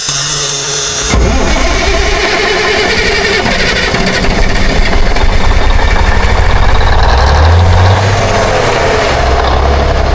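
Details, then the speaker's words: 1962 Kenworth with Cummins Big Cam diesel, sat 18 years, fed from a jug bypassing the filter: catches after a short crank and settles into a steady, even clatter with no misses; fires right up, has oil pressure. "She fires like a kitten, folks. It's got oil pressure."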